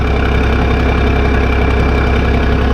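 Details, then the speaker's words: Case 1450B dozer, rebuilt diesel, warmed up: even diesel clatter at steady low idle with no knocking or hunting; oil pressure about 27 psi at idle (worry below 20); healthy normal warm idle. "when I wall is nice and warm it takes in takes about 12 psi to float the barians so you get below 20 start getting worried at an idle"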